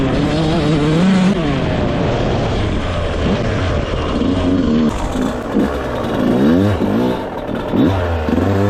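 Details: Rebuilt 2001 Yamaha YZ125 two-stroke, ridden: ripping through the gears, pitch following throttle cleanly, no bog anywhere; jetting spot on, air screw maybe slightly off.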